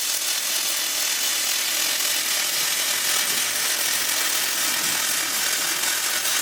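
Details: Gasless flux core MIG weld on unprepped steel with thin mill scale left on: steady, even crackling sizzle with no breaks or pops as the arc burns through the scale, a normal flux core welding arc.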